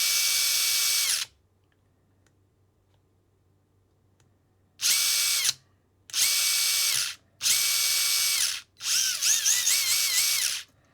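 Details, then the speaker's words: Furitek Micro Beast ESC after firmware 1.6, Losi Micro-B RC car: four short high-pitched motor bursts settling at the same top pitch; runs faster in reverse than forward, drive frequency and mode changes give no forward boost. Motor not gaining speed in forward. "nope still doesn't give it any extra sort of boost going forward"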